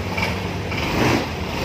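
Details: 2016 Honda Vario 150 scooter after no-start fault (dropped battery), started: short even idle, steady low putter, no ticks or stumbles; engine running normally.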